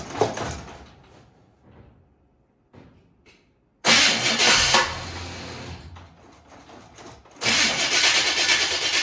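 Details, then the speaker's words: 1951 Henry J, first start attempts after sitting, with the electric choke not hooked up: bursts of cranking with brief catches that fade out instead of idling. Suspected of not getting enough fuel to the float bowls. "doesn't really want to. Maybe it's not getting enough."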